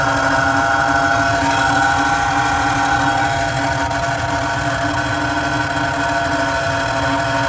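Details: Carrier 800 TS Weather Maker furnace blower motor making a loud, steady grinding hum with a droning tone; blower motor needs replacement.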